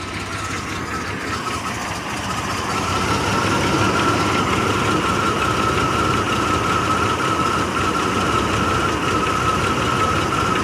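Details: Chevrolet Blazer petrol engine idling rough with an uneven, lumpy beat and a faint steady whine running over it; owner troubleshooting the cause.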